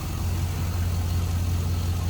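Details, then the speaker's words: 2005 Chevrolet SSR, 6.0L V8, heard at the front with hood open over a clean engine bay: deep, even low rumble at steady idle with no knocks, ticks or misses; sounds good, healthy. "Sounds good, looks good, great power plant."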